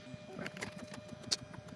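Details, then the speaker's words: Bambu Lab A1 Mini Combo 3D printer during first-run setup, measuring the bed and adjusting height, touching the head down to sense level and wiping the nozzle; quiet stepper hum under light taps and clicks: normal leveling routine. "So, what it's doing now is it's actually measuring the bed and adjusting the bed height. And that's the little thing that cleans the the nozzle."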